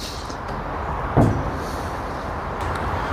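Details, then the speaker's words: BWK12 washing machine on spin: a loud, helicopter-like deep rough rumble that drones on as the drum slows. The seal above failed and let water drip into the drum bearing, washing out its grease, so the bearing failed; the mechanism is to be replaced. "O rolamento estoura, né? É, é. fica sem graxa nenhuma [roncando] e fica com essa barulheira danada aqui,"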